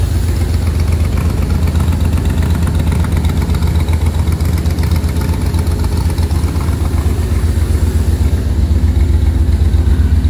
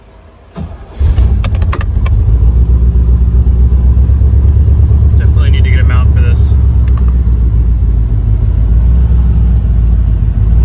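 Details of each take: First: 1966 Corvette V8 first start after carburetor-to-Holley Sniper EFI conversion, first round of tuning: deep, lumpy, wavering idle, smells gassy; rough, rich running while the injection still needs calibration. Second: 1966 Chevrolet Corvette converted from carburetor to Holley Sniper EFI with new fuel pump, first start after wiring and first tuning: fires quickly, settles into a low steady even lope, no stumbling; earlier ran rough, now running much better, normal warm idle.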